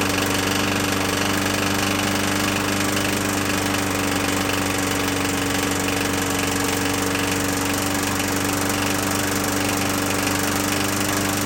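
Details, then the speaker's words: 21-inch Murray 125cc push mower: steady speed with an uneven, lumpy beat and a rattly knock, still rough; owner suspects something slightly out of adjustment; oil later shows a metal sheen; cause unconfirmed. "let's try again see it still sounds to me like it's pretty rough"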